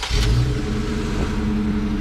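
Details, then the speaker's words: Jeep Gladiator idling with check engine light flashing: lumpy, uneven idle with a loping cam-like beat and occasional stumble; suspected cylinder misfire, not confirmed. "oh flash and check engine light what do you think it is maybe a cylinder misfire maybe"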